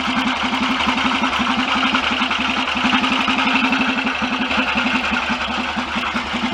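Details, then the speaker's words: BSA DBD34 Gold Star 500 scrambler single, after carburettor work, idling: loping beat with a dry rub that just appeared; cause not confirmed; rubbing noise. "Something's making a noise in there. I can hear like a rubbing noise."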